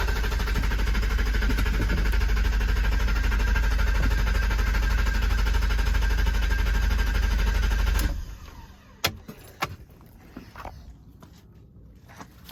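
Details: 1992 BMW 730i (E32), hard to start after a month undriven and a fully flat, recharged battery; in-tank fuel pump never primes at key-on. About eight seconds of cranking never catches, then a few clicks; cause unconfirmed.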